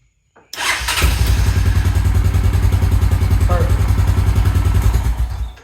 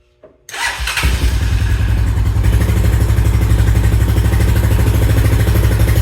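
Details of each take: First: 2000 Honda Foreman 400 4x4 after repair from a no-spark complaint: short crank, fires at once and settles into a steady, even thumping idle; clean healthy start. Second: 2000 Honda Foreman 400 4x4 warming up after long disuse, choke likely on: uneven, choppy single-cylinder thumps with a brief sag, won't take throttle; owner suspects flooding or exhaust clogged by a wasp nest.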